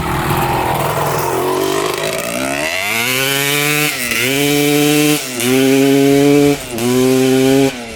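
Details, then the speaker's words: 1995 Honda CR250 two-stroke after a bog hunt, with both the original CDI and stator refitted: crisp, clean snaps up on each blip and drops back with no hesitation; still runs well, no bog. "so now both the CDI and the stator swapped out with the old one still runs good no bugging what the heck"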